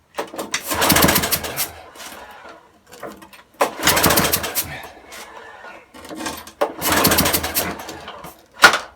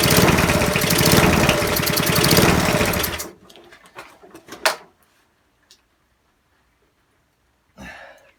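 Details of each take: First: Broken spares-or-repairs petrol walk-behind mower, spark just restored by leaving ignition contact open, fuel uncertain: three pull-cord tugs, each a short rasping spin dying without firing. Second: Non-running eBay spares petrol mower after reassembly with fresh oil and petrol: single cylinder fires and runs with fast even chatter about three seconds on choke, then cuts out; engine starts and runs on choke.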